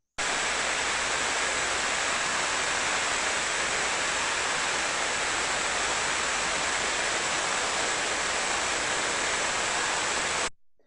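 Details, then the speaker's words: Industrial bearing heard through an ultrasonic probe during condition monitoring, a bearing that doesn't need greasing: a steady, even hiss with no clicks or crackle. The bearing is adequately lubricated and running smoothly. "si pour vous revenir sur un palier qui n'a pas besoin de la dre je vais avoir une glisse talent de continuer qui ressemble à ceci"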